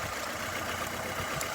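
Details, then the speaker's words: 2012 Nissan Altima 2.5 S, 2.5 L engine started to verify the misfire: lumpy, uneven idle with irregular stumble under a steady hiss, engine visibly shaking; dead cylinder later traced to a broken injector wire. "we're gonna go ahead and start this bad boy up and hopefully y'all can see what that motor is shaking more than an alcoholic with tremors"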